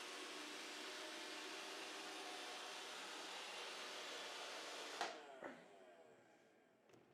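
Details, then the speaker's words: Roomba after replacing the intermittently spinning side brush motor with a genuine iRobot part: quiet, even whir with no grinding or clicking until shutoff, much quieter than the loud sound before; runs smoothly. "It sounds so much better. It was so loud before."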